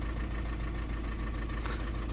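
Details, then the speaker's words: 2009 Audi A3 8P 1.6 TDI after a dealer software update, codes P2463 and P0202, limp mode and DPF light: diesel idles roughly with an uneven stumbling misfire, one cylinder dropping out, suspected faulty injector. "I don't know if you can hear it but the car is really really like if he's misfiring he's not running smooth whatsoever and he's like that"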